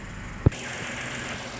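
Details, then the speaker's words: 2011-2019 Ford Explorer 3.5 Ti-VCT V6 idling after new coil packs were fitted and codes cleared for a misfire. One soft thump, then a steady low hum with no stumbles; normal idle, no misfire. "Okay, so it sounds real nice. I won't know for sure until I take it and test drive it. It's definitely not misfiring or anything at this point."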